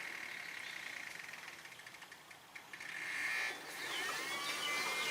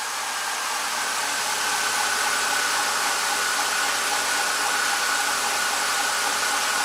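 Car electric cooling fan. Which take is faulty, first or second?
second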